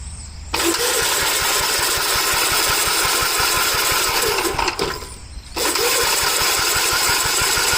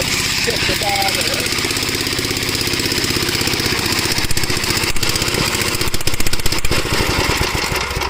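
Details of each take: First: Early Gravely garden tractor (1961 or 1973) with no governor, cool weather: two long bursts of steady cranking at three to four compression beats a second with no firing; won't start, tank nearly empty. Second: Gravely garden tractor, unrun for about a year, cool day: quick, steady single-cylinder thump holding an even pace without stumbling; running normally.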